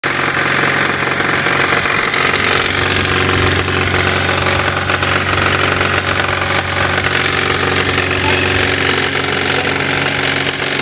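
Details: Toyota Levin AE92 with 4A-GE engine at idle: a light, persistent tapping knock rides over the running note; source not pinned down.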